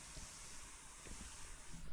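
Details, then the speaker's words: Air tool fitting screwed raw into its NPT pipe thread without sealant, tightened and fed compressed air: a steady airy hiss escapes along the threads, then cuts off; the air leaks through the spiral thread path. "put one of these in here the way it is and gotten it as tight as you likely should and i'll just plug it into some compressed air here and you will be able to hear it leak"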